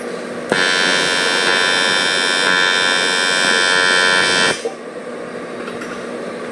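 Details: Harbor Freight TIG welder, beginner user: harsh, buzzing arc holds about four seconds with an uneven, rough edge, unstable arc; user suspects something set up wrong, cause not confirmed; erratic TIG arc.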